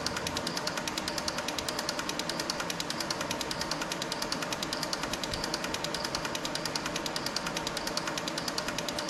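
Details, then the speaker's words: Six fuel injectors on bench testing unit, pulse injection test checking firing and solenoids: fast even solenoid ticking with steady rhythm, no missed beats; all injectors firing properly, flow readings close across. "but we're going to do the pulse injection test. Make sure they're all firing correctly and the solenoids are working right."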